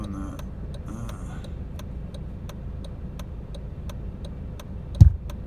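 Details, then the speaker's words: Car radio stereo popping on and off after heater matrix replacement, with heater on: sharp, regular pops about three a second over low cabin hum, a louder pop near the end. "as you can hear the popping the radio stereo is popping on and"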